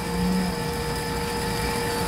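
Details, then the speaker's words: AirDog II-4G lift pump on Outlaw Diesel Performance's 6.0 Powerstroke, set to 65 PSI, idling: a steady, quiet electric hum with a faint constant whine over the diesel idle. Normal, quiet lift pump operation. "Running, working good? Pretty quiet."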